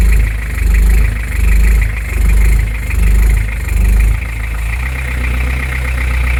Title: Beta 50 first test rough idle and surging.